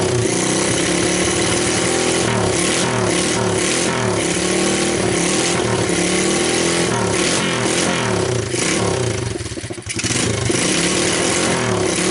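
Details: SSR 125cc pit bike with a $13 eBay replacement CDI ignition, cold start: small single catches and runs unevenly at first, then settles into a crisp idle with a few blips; healthy.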